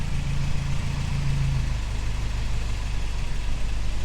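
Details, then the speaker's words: 1985 Toyota 4Runner 22R four-cylinder after the rebuild, with the timing rechecked: steady, even low idle rumble with no knocks or misses. Sounds healthy. "So check this out. I think that sounds pretty good. I'm pretty stoked."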